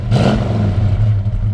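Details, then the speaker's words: 1969 Dodge Dart GT Convertible with dual exhaust, light throttle rev then settling to idle; deep, even burble, strong and clean: healthy rev. "sounds great like dual exhaust"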